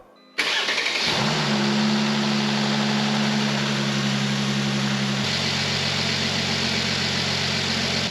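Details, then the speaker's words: Mercedes-Benz W205 C450 AMG, started after refitting air filters so the airflow sensors read properly; quick crank, clean catch, then a smooth even idle with steady hum and no misses or knocks; sounds much better; normal start and idle. "how nice does that run now that meso sensors make a difference um sounds a whole lot better now"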